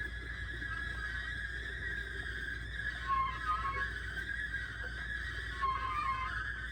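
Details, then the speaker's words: Brand-new aftermarket torque converter for a 2001 GMC Sierra 5.3L 4x4 with 4L60E, spun by hand: wavering metallic ringing drone, unlike the quiet original; owner blames the converter, not the transmission. "And that's what I was hearing. So I don't think the problem is the transmission. The problem was the stupid O'Reilly's torque converter they sold me for 200 some bucks."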